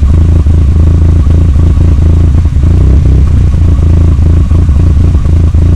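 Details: Conquest at idle: loud, deep, uneven lumpy idle with some clatter on top; rough idle, cause not yet pinned down.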